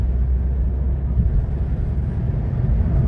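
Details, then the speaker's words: Honda Fit Hybrid, 103,000 km, road test after clutch release mechanism service on its automated (robot) gearbox: even low drivetrain rumble pulling steadily, no clunks or jolts; accelerates smoothly and gear shifts are inaudible. "так плавно разгоняется. Да, и, кстати, не слышно это переключение вообще."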